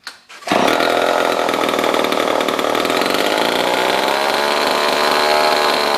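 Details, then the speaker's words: Old Homelite chainsaw revived after over a year in a scrap pile, on a little choke: it catches, then revs up to a steady, high buzzing snarl that holds even. Running properly. Normal running. "I'd say it's not too bad for something that's been sitting outside for God knows how many years"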